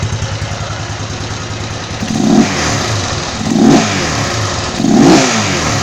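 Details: Honda CG motorcycle engine rebuilt to 262cc (CG 260R project), just finished: single-cylinder thumping steadily at about 1,500 rpm idle with a few light throttle blips; runs clean and even.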